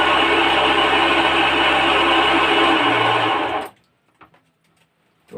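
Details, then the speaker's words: Agricultural spray machine pump motor: steady high whine with a rough, gritty buzz, then it stops. The motor is noisy, water output is down about 30%, the washer seems fine, and the bearing is to be replaced. Worn motor bearing. "इसका आवाज कर रहा है इसके लिए इसका बरिंग को change करेंगे सिर्फ सिर्फ बरिंग को चेंज करेंगे"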